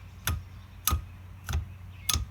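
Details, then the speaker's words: 2000 Dodge Dakota quad cab power driver's seat: a dull clunk repeating about every 0.6 seconds as the seat runs; excess space between the positioning screw and nut lets the whole seat clunk back and forth when braking or accelerating. "this is your positioning screw and your nut and that amount of space is what's letting your entire seat clunk back and forth"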